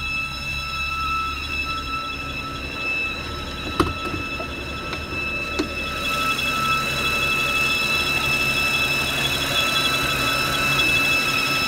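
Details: 2012 BMW 328i E93: a steady high squeal over the quietly running engine strengthens as the rpm rises; its source is unknown.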